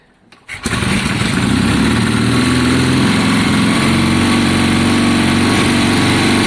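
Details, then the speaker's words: 1972 Triumph Bonneville T120 twin, Mikuni carbs, kick start, first start-up attempt, after cleaning spark plugs, choke off: catches at once and settles into steady even throb, no misfire, clean on both cylinders. "that sounds better so sounds better to me john it sounds happier"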